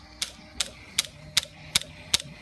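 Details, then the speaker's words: Aprilia Shiver that won't start, even with a new battery fitted. Sharp, evenly spaced clicks at about 2.5 per second with no cranking behind them. The starter relay chatters but the engine never turns. "Same thing happens, it cycles up, gets good power, clicking, clicking, clicking."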